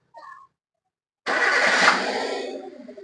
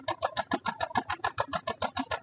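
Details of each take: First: Chevrolet Beat petrol that had no power and one cylinder not working due to a failed cylinder-1 plug cable; after replacing the full plug wire set, a quick crank catches and settles into an even idle without vibration. Normal start and idle. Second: Chevrolet Beat petrol idling, heard at the silencer: lumpy exhaust with a steady tak-tak puff about seven times a second, one cylinder completely dead causing poor pickup; plug, wire, coil or injector still unconfirmed.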